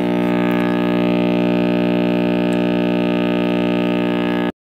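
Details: RCA Victor X551 vintage tube radio at first power-up after restoration and power cord rewiring: strong steady low buzzing hum until set cuts off; owner suspects last-soldered filter capacitor, reading unconfirmed.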